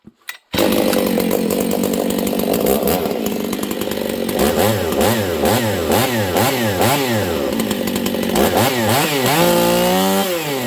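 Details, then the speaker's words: Husqvarna 268 open-port chainsaw that starts easily: first throttle blips crisp and four-stroking, later ones bog slightly off idle and scream flat at the top without four-stroking; running lean, short of fuel. "listen for a slight bog on the bottom that's because it's too lean it doesn't have enough fuel on the bottom and then when it gets up top it doesn't four stroke"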